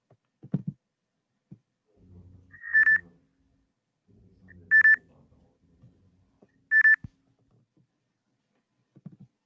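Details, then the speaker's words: Electric scooter pedestrian proximity alarm: three short high beeps about two seconds apart over quiet room noise, medium-rate stage-2 warning at 9 m distance; stage 3 at 6 m beeps faster. "들으신 것처럼 거리가 9m인 2단계에서는 중간 빠르게 경보음이 발생하며 거리가 더 가까워져 안전에 위협이 될 수 있는 6m 거리인 3단계에서는 상대적으로 빠른 속도의 경보음이 발생하도록 하였습니다."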